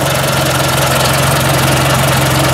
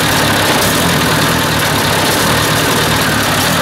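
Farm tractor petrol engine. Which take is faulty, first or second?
second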